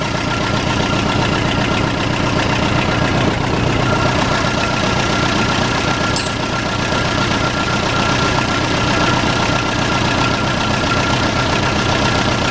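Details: Case 580C backhoe, unused for 10 years, started on ether with a bone-dry tank: even diesel clatter settling into a steady idle that holds without stumbling.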